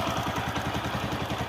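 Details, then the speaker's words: Bajaj Platina Comfortec BS6 single-cylinder motorcycle after full engine rebuild, idling: smooth, even idle with light fast regular tick from the idle rpm sensor/auto-choke, normal; no other engine noise, sounds like new. "देखिए, आवाज़ बहुत बढ़िया है। यहां से आने वाली टिक-टिक की आवाज इसके आइडल आरपीएम सेंसर की है। ऑटो-चोक से टिक-टिक की आवाज आ रही है।"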